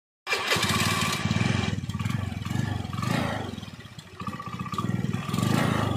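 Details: Honda Beat scooter that stalls suddenly and hesitates when running: it catches quickly, then the revs keep swelling and sagging unevenly, nearly dying around midway. The cause is suspected but not confirmed.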